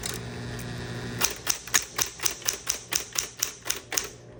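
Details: 1960s green Smith Corona Electra 120 electric typewriter, switched on for demo: motor hum, then crisp, even key strikes about four per second, each a clean snap; working normally.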